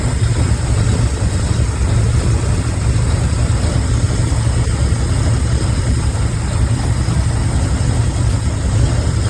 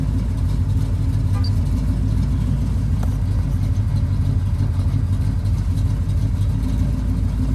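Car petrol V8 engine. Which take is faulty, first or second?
second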